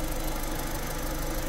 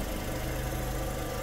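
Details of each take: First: VW Lupo 1.6 warming up after cylinder head and head gasket rebuild for oil contamination: thin, steady high squeal over the idle that cuts out abruptly when the cooling fan switches off; mechanic suspects the fan. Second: A VW Lupo 1.6, after a head gasket and cylinder head rebuild for milky oil, holds a steady, even low idle with no knocks, misses or hunting, the cooling fan cycling; no leaks and fluid levels checked, it runs perfectly.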